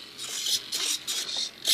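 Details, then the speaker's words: Volantex/Lanyu ASW-28 glider elevator servo, after backing the linkage out half a turn. Short even bursts of high servo whir on each sweep to full deflection, with no straining or stalling. Servo moves freely without binding. "Put it all the way to the inside. Come on. Well, that's pretty close now. No binding."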